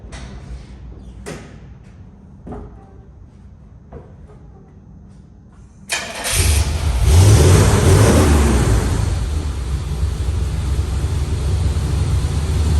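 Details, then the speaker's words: 1994 Chevrolet W4 truck that wouldn't crank, after a loose battery-to-starter wire was fixed, start test: a few light clicks, then the starter catches and the engine fires cleanly into a steady idle; starting system working normally. "we're going to fire it up and make sure that's that it works multiple times in a row and then let it run"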